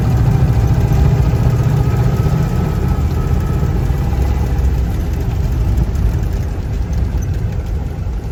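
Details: Austin 7, seized and unstarted since 2007, freed up and fueled: first start, engine ticks over at a fast, fairly even idle with a low throaty note and no knocking; healthy.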